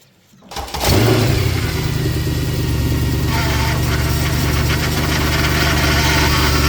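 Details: Mercedes C63 AMG steering repair: engine settles to steady idle with faint whine over it; power steering pump whine, pump noise likely as customer reported, no leaks, steering to be bled and fluids checked.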